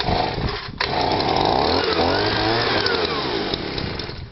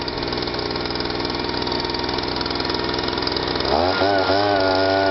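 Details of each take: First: Stihl SH/BG 85 two-stroke leaf blower, cold start, choke then off, was pumping petrol out of exhaust: drones and hunts, pitch sagging instead of climbing to full revs; running rich, won't rev, replacement part ordered. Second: Stihl SH/BG 85 two-stroke leaf blower, previously so choked up it wouldn't start or rev and spilled petrol from the exhaust; after repair it runs with a steady, even buzz that firms up briefly with no stumbling or misfiring: normal running.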